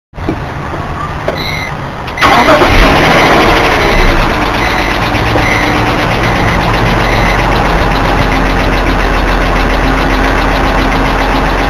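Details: BMW E46 petrol engine at start-up, recorded in a parking lot: cranks, catches, then idles with a loud steady ticking about three times a second, audible from inside the car; usually stops after seconds, sometimes lasts over a minute; cause unknown.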